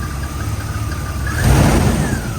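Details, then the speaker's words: Jeep TJ after radiator replacement, owner expecting a coolant leak when warm (a faulty aftermarket radiator cap later overpressurized the system): rough low idle with a thin high whistle and a brief surge; source unidentified, temperature normal, no smoke. "what is that sound I haven't started leaking coolant yet but I'm expecting it I don't know what that sound is"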